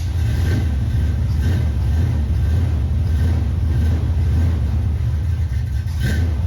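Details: 1978 El Camino, first start-up after an engine swap replacing a worn-out small block, air cleaner removed: strong deep even rumble that holds steady through the revs with no knocks or misses; normal running and revving.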